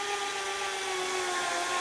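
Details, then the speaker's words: NEC VC-N70EU Beta HiFi VCR in fast forward: high, steady strained whine with hissy edge; owner suspects failed capstan motor or Hall effect device, unit later died needing capstan and loading motors. "um that motor doesn't sound good so"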